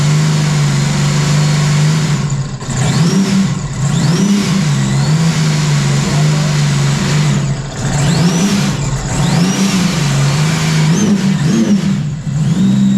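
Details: Sea-Doo RXT 260 personal watercraft with a fresh OEM engine after the old one locked up, first start: engine catches and settles into a steady hum, blipped a few times with clean pitch rises and falls; healthy.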